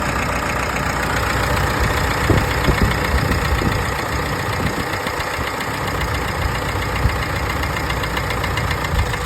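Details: Mitsubishi Triton 4N15 diesel at idle, with smoke coming from the oil dipstick: an uneven knock two or three times per second under a rough clatter. Owner suspects piston rings or the turbocharger.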